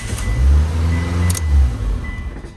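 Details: 2002 Mitsubishi Lancer with intermittent no-crank, after replacing the ignition starter switch: key turns, starter spins and engine catches right away into a low, even run; normal clean start.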